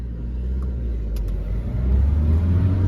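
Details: Volvo V40, thought to be 1.6 diesel, after limp mode with code P00BD air flow too high, faults cleared, test drive pulling away: low rumble rises smoothly, no hiss or whoosh from intake; boost sealed and healthy.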